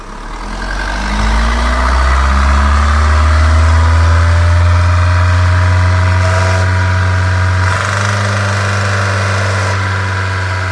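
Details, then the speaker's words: Mahindra diesel held at 3000 rpm after a diesel filter change and fuel line cleaning, to bleed air out. Revs climb, then hold a strong, even drone without knocking or stumbling; smooth, healthy running after a missing and knocking repair. "लेकिन हम थोड़ी C N निकालेंगे start गाड़ी में क्योंकि इसके अंदर diesel filter वगैरह चेंज किया है हमने लाइन वगैरह ही पूरी क्लीन करी है हवा मारी है तो इसकी एयर जरूरी है निकालना तो 3000 आरपीएम पर रखना है"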